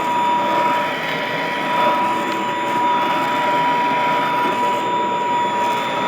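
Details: Vintage all-metal Royal Model 153 vacuum, 3-amp bushing-style motor, owned 22 years: smooth quiet whir at one steady pitch, no grinding or bearing noise; very quiet, normal running.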